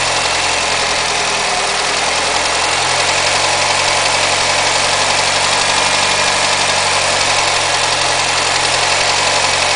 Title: Mazda 6 MPS: engine knocking at 1500 rpm